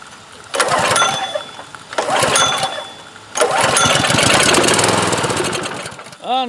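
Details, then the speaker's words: DeWalt DP3100 pressure washer, Honda engine, curbside find with rusted fuel tank, contaminated fuel and dirty carburetor: three short bursts of firing, each fading within a second or two; has compression and fires but dies, likely no fuel flow through carburetor. "again so we just get a brief shot but does look like our pump's going to work looks like our engine will run also we just need to clean it up and do a little carburetor work"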